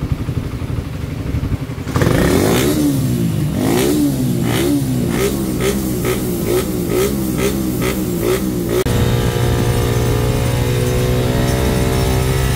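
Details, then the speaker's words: Raider 150 carb that ticked when hot and had an overheating issue, after the timing chain and stator were replaced and it was converted to full-wave charging. Several quick revs, then a steady, even idle with no knocking or chain rattle; quiet again. "Ito guys ha, pinalitan timing chain, ni-resume, tapos itong stator, tsaka yung ayan, pinull wave na diretso. At yan, ni-resume siya, tahimik na ulit."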